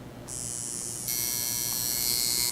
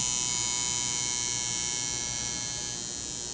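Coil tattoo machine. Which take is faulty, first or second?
second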